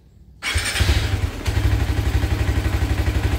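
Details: Motorcycle single with Aracer Mini X ECU, TCI driver and Power Up, set for easy starting: one brief touch of the starter and it catches at once, settling into even idle about four beats a second; starts cleanly.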